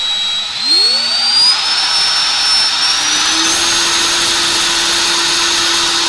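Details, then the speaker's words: Brushless motor from a Ridgid Gen 5 drill with failed control board, run on a cheap BLDC controller at 18 V: high whine rises smoothly then holds even, no grinding or ticking; motor confirmed healthy. "i definitely felt like nothing was wrong with the motor and looks like that hunch was right"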